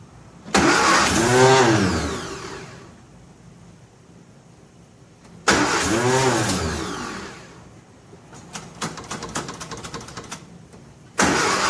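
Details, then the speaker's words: 1957 Nash Metropolitan barn find that sat for many years, start attempt with the manual choke and fuel pumped: two long cranking bursts with the starter grinding and no catch. It won't start because two plug wires are crossed. "wow um wheel surprise a little bit that it didn't just run but it's not far from it"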